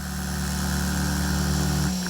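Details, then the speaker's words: KJ-66 model jet turbine after home service with broken fuel lines and misfire fixed, shut down at 100°: steady whining tones easing off smoothly as the rotor winds down, no scratching or rubbing; clean, normal spool-down. "oh ist das schön ohne zu kratzen ah was habe ich da gerade gehört wie schön das ist ja richtig schön"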